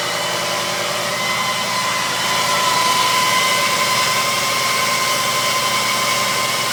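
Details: WJ Grand Cherokee Overland: constant high-pitched squeal rides steadily over the idling engine without changing pitch; accessory drive squeal at idle.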